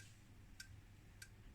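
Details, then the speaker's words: Escort 3146A bench multimeter (Agilent/Keysight U3402A) in dual-display mode measuring voltage and current together: sharp relay clicks about every 0.6 seconds as it switches back and forth constantly, likely to wear out the relays. "so that means now it's measuring both voltage and current at the same time but as you can hear what it's actually doing can you hear it clickity Clickety and it's just switching back and forward and of course if you do this all day long it's probably going to eat your relays right"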